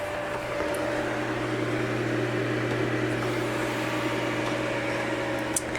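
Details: 2003 Sony VAIO PCV-W500 all-in-one Pentium 4 PC, top casing open, just booted after new DDR RAM installed during Windows XP reinstall: even steady whir, low hum, faint drive ticks, no grinding or rising whine; fans and drives healthy.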